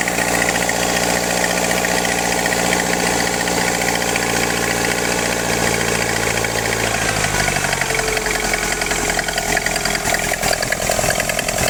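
Rough, uneven running with a sudden shift in tone partway through and ragged popping; this engine is misbehaving and backfiring, cause unclear.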